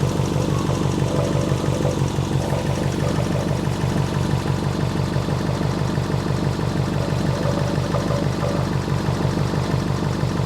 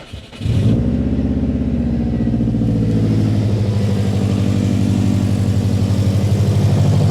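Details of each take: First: Subaru Impreza with EJ engine, back running after six years off the road, following timing belt, water pump and radiator replacement. Steady idle with a faint rhythmic tick about three per second on the low rumble; an annoying engine bay noise, source unknown. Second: Subaru Impreza EJ flat-four after timing belt, water pump and radiator replacement, following an O-ring and coolant pipe clip fix that solved both issues. Catches and settles into a steady, even, healthy idle.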